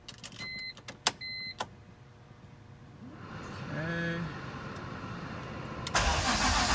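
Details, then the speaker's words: BMW E46 M3, 173k miles, engine just reinstalled after rod bearing job and upgraded water pump, fuel pump unplugged: warning chimes, then starter turns engine over at an even, steady pace without firing; normal healthy cranking. "Wow. She is cranking very nicely."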